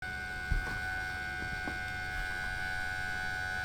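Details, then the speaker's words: Compaq Armada 4120T floppy disk drive: thin steady whine from the drive motor with no seek clicks, spinning freely because the drive belt is broken; needs a belt change. "because i really don't think he should be making that noise i think the belt's gone"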